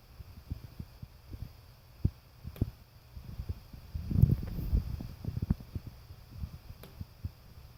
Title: Loud Ticking, Popping, Tapping & Creaking Sound in the Wall - Neighbor's Water Heater Exhaust Flue